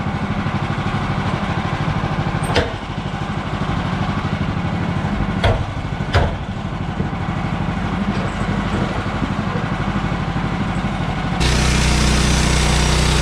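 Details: Bandsaw mill cutting 3/4 x 6 inch boards after the Pine-Sol/water lubricant was toned down; too much had made the blade slip off the belt. Engine drone stays even under load, a few sharp ticks, no squeal or slowing; cutting normally.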